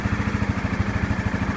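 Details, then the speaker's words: 2015 Yamaha Grizzly 550 ATV, about 100 miles, formerly dying in park and barely cranking; restart after spark plug replacement: cranks right up into a steady single-cylinder thump about twelve beats a second with no misses, idling cleanly. "Boom. Cranks right up. Very"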